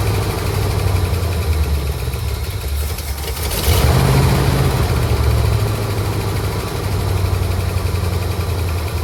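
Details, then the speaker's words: 1967 Ford Galaxie 500 V8 sitting since 2008, first run after revival: uneven, loping idle with a brief swell around four seconds; rough idle attributed to long storage; it otherwise ran fairly well and the fuel pump works. "well folks she ran uh wind idle that's to be expected after sitting as long as it has uh it ran actually fairly good"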